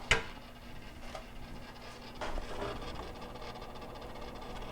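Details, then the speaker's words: GE/Hotpoint side-by-side refrigerator (C5X22GRBKWW) with a ticking, grinding noise at the top of the fridge section and poor cooling: sparse irregular ticks and a brief rough patch over a low hum; stripped gears in the defrost timer (WR9X489), to be replaced. "we're going to go ahead and open it up and you can hear the the grinding noise which uh sounds like it's coming from the defrost timer"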